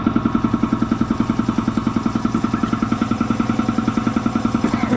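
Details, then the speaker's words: Air compressor that was running hot: a steady pumping thump about 2.5 beats per second with no squeal, slowing down as it loads. The belt was found loose, and adjusting it fixed the problem; an oil change had not. "Fresh in. Starts to act up, I'll start you guys back up. See? She's slowing down."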